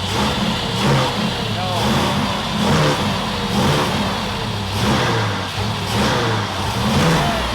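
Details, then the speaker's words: Kip's Willys Wagon with no coolant, power steering removed: repeated throttle blips about once a second, with revs rising unevenly and hesitating before catching. Owner says it needs enrichment fuel, possibly lean. "We gotta give us some fuel. We need some enrichment fuel."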